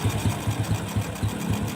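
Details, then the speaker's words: Carbureted motorcycle, carburetor set back to standard after excess fuel use: regular low thumps about four per second, evenly spaced with steady volume. Air screw left alone because idle is already very even; normal idle. "Oke saya rasa untuk kau yang ini tidak harus disetel kenapa demikian karena memang bisa sahabat dengarkan siswa rather bunyinya itu sudah sangat rata"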